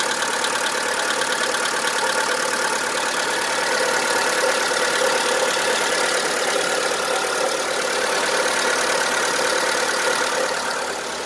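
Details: VW Polo 1.4 16V (BUD engine) idling with a hard, diesel-like knock about three a second that appeared suddenly and grew louder; lifter cleaner, new lifters and XADO additive did not help. Diagnosed as piston slap, common to these 1.4 blocks.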